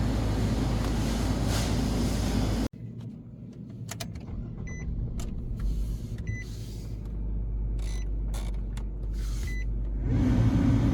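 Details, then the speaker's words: 2015 Nissan Sentra, newly replaced blower motor installed and tested at high speed: strong steady rush of air for a few seconds, smooth with no rattle or squeal; blower working fine. "There you go. That's it. Blower motor working very fine."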